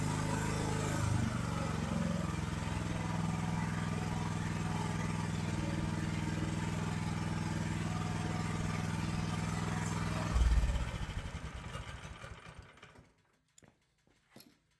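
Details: AGT LH12R mini excavator with RATO engine, governor being turned counterclockwise to lower idle: small engine runs fast and steady at a raised idle, then drops off and shuts down near the end. Idle set too high.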